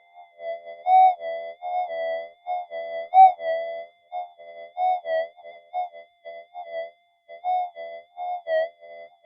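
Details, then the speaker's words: Minelab GP Extreme metal detector upgraded with newer boards and parts, bench test, speaker held near microphone: warbling, wavering tone rises and falls as a 0.05 gram gold flake passes the coil, detected surprisingly high above it; strong, clean normal target response. "I mean, that blows. It's actually a lot higher than it looks on the camera."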